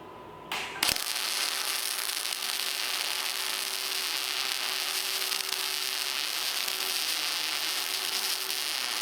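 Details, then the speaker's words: Miller Multimatic 215 MIG welding about 0.2-inch metal with 75% argon / 25% CO2 gas: once the arc strikes, a steady, even crackling sizzle with no pops or sputter; a well-set, normal weld. "I don't know if you heard that or not, but that sounded beautiful. That was a great sounding weld. You can tell a lot of the problems from your welder usually just by the sound of it, and that kind of sizzle that it was making as I was going along."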